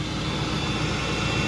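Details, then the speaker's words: 2003 BMW E39 540iA V8, 170k miles, cold first start after sitting several days: smooth steady idle with an even whirring secondary air pump, no ticking or knocking; healthy apart from a suspected header exhaust leak. "super quiet doesn't sound like there's any ticking any knocking nothing you just hit a secondary air pump and that's it"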